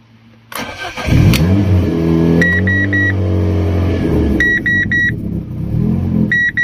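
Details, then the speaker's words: Fiat Stilo, alternator not charging, after clearing clutch pedal and intake pressure sensor codes: catches after a short crank, revs unevenly, chimes pinging; won't start or run unless the throttle body is pushed open, shaky, seems to search for air; hard starting. "So let's start the car again. It won't start unless I push the throttle body."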